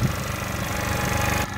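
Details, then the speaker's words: Cheap scooter with replacement battery, running test: short burst of even, buzzy small-engine run with no knocks or rattles before dropping off; owner says it sounds good, normal running. "I'll probably need another new battery it'll probably be the same type of stuff in it should work the same but I mean it sounds good"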